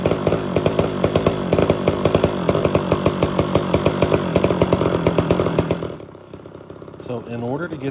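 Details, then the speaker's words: Homelite Super XL chainsaw with rebuilt Tillotson carburetor, during early tuning: uneven, stumbling firing with skipped beats, then it dies around six seconds, some smoke from carbon; misfire; owner suspects an air leak, since screws needed about 2–2.5 turns out. "it's they got little promise appears as though we got a misfire there you'll still see a little smoke from the carbon buildup but the big issue right now is a misfire"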